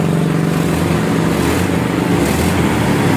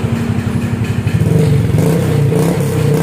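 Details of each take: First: Honda Vario Techno 150 scooter after a gutted (bobokan) muffler was restored toward stock, rear section layered rather than removed: soft, even, low putter with no rasp; quiet, normal stock exhaust note. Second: Honda Vario Techno 150 scooter at idle, then revved, with a drilled-out, gutted (bobokan) muffler whose insides are oily from past smoking: harsh, raspy, booming note swelling with throttle, no silencing, before restoring it to stock.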